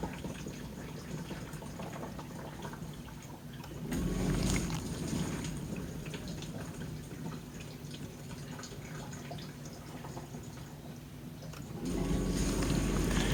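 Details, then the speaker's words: Samsung DW80R5060US dishwasher in diagnostic test mode, spray arms test; even water swishing and spraying over a low pump hum, swelling louder at times; normal spray arm operation. "And you can hear the spray arms are testing."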